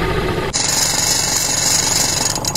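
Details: Washing machine spin dryer after its failed capacitor was replaced: a steady, fast whirring spin with light rattle and no hum-and-stall, now turning normally.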